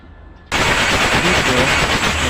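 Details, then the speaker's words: Mazda R2 diesel engine cranked with the glow plugs removed, to raise fuel to the injectors and spare the battery: sudden loud, fast, even churning as the engine spins freely; once smoke appears, fuel has reached the injectors and the plugs go back in. "Ang purpose kasi bakit natin tinanggal yung glue plug, dahil akyat pa tayo ng diesel at saka maka-minimize tayo sa ating baterya, na hindi mag-drain ang ating baterya, dahil malambot siyang ikutin ang makina kapag walang glow plug."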